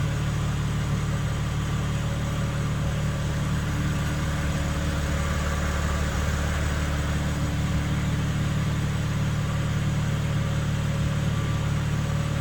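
Steady low hum sits under a smooth idle and holds even throughout, no knocks; a droning hum of unknown origin at idle.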